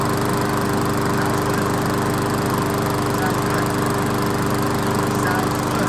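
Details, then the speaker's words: Old 22-inch Weedeater walk-behind mower after a seasonal tune-up, with spark plug work, prone to running hot: a steady, even single-cylinder buzz with no misses or surging; running normally. "all right well we didn't run it for that long but it sounds good"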